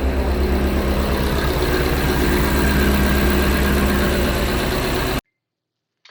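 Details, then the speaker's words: Engine started after reassembly and reinstallation, with the serpentine belt off after a new water pump failed. A smooth, even idle with a steady low hum and no squeal, rattle or knock, then shutoff. The engine sounds normal. "so as you can see it sounded totally normal"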